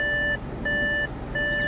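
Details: Car that had not been started in a long time, start button pressed: three even high beeps about 0.7 seconds apart, the warning to turn off ignition before leaving the car.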